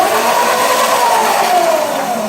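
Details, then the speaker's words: Razor E300S electric scooter after replacing dead original lead-acid batteries, tilted with the wheel spinning freely under light throttle: steady mid-pitched whine, smooth and even; the motor runs fine after the battery repair. "So to demonstrate that the scooter's running, I'm gonna turn it on. You see the light on? Perfect. All right, now I'm gonna tilt it a little bit and just give it a little bit of power."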